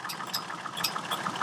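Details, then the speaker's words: Chevrolet Trailblazer idling: sharp light clicking from the cooling fan, about four clicks a second, sometimes worse, sometimes constant; fan parts fairly new, cause unknown. "on my trailblazer that i'm currently driving i have the fan going click click click click as you can hear it sometimes it's worse sometimes it's constant"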